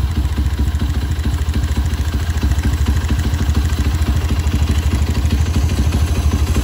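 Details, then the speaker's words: Single-cylinder Honda CB motorcycle at idle after rebuild (scored piston and cylinder sanded, cylinder re-honed): even, low, smooth thump, no longer noisy. "Dan alhamdulillahnya udah nggak berisik ya, udah halus."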